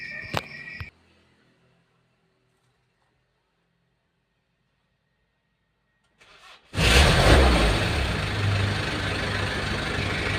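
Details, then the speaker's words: Kia Bongo 3.0 diesel with earlier hard starting and relay chatter, retested next morning: silence, a short crank, then it fires promptly and settles into a steady idle, starting normally, though the battery is judged faulty. "So nagana umandar pa rin saka yung kanyang battery may diperensya na talaga no."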